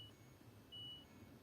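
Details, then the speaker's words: LG washing machine that won't switch on, control module with corroded, shorted traces: only a thin, muffled high beep about a fifth of a second over room hum; barely audible signal from the failing control board. "но Він ледве ледвечутний І от горить лампочка так замикання все ідем"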